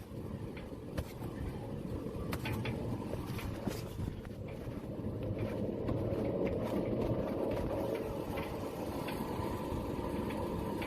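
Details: Driving a 2007 Toyota Tundra with a badly worn front wheel bearing: loud, low rumbling growl under road noise that worsens with distance, with the truck sometimes shaking; the driver's side is suspected too, and both bearings are to be replaced.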